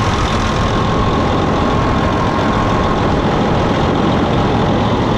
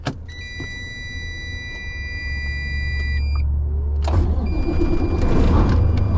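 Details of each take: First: 2007 Freightliner Columbia with Detroit diesel, after fuel filter replacement, initially hesitant to start: now steady even idle clatter with no hunting, misses or surges; engine sounds healthy and settled. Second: 2007 Freightliner Columbia with Detroit diesel, first start after fuel filter replacement: prolonged cranking before it catches and settles into rough uneven idle; owner suspects fuel recirculating, possibly air in fuel lines.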